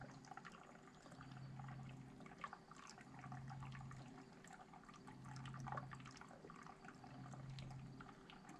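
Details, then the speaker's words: Ram 2500 6.4L engine upgraded with Hellcat oil pump, coolant vacuum fill before first startup, supply line partly opened for slow fill; soft irregular gurgling and trickling as coolant is drawn in — normal coolant gurgling during vacuum fill. "I don't know if you can hear that but you can kind of hear it gurgling as it uh fills up the"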